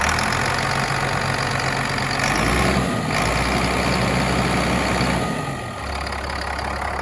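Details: Cat 3126B diesel after HPOP (high-pressure oil pump) replacement, initial startup already cleared most misfiring and air: steady, even idle with a consistent low thrum and no stumbles or misses; normal idle.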